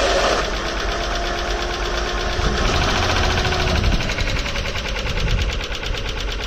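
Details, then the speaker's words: Junkyard engine (Isuzu/Honda, misfire) at idle: loud rough idle with fast uneven ticking and knocking, about three or four per second, described as very sharp; owner suspects lifters and doubts the noise will go away; source unclear. "si usted tiene una opinión buena o mala la que sea o no es un ruido muy agudo"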